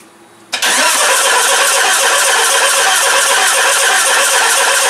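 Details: Mitsubishi RVR 2.0 L petrol with electrical faults: fuel is poured straight into the intake, and the engine catches abruptly and holds a steady roar. Injectors aren't delivering fuel; a microchip resolder is planned.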